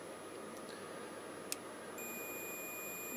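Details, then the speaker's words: Suzuki GSXR 1000 front brake light switch under a multimeter continuity test: faint steady meter buzz comes in and holds; the circuit closes when the switch is pressed (lever out breaks it), so the switch is working. "as a continuity check so this will check that the circuit completes and there you go you can hear the buzz which means it's making a circuit when that is pressed which is obviously when your lever is out it breaks the circuit"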